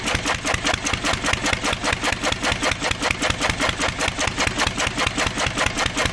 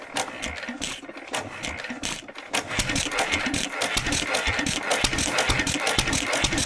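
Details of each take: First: 1927 IHC M engine, restored 20 years ago and unrun for 19 years, running only on the starting bowl with starter fluid. The AC Delco fuel pump diaphragm is shot, owner believes from old ethanol fuel, and needs replacing. Steady, evenly spaced popping beat, about 2.5 per second. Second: 1927 IHC M single-cylinder hit-and-miss engine, restored 20 years ago, first run in 19 years; fires in uneven bursts with coasting gaps, running only on the starting bowl/starter fluid because the fuel pump diaphragm is failed.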